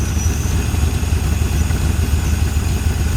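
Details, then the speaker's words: 1981 Ford Mustang 5.0 small-block V8 revived after sitting, different fuel pump fitted, timing not fully adjustable, good oil pressure: deep, steady, even burble at idle with no misses or knocks; normal idle. "the wheel sounds healthy I'm happy"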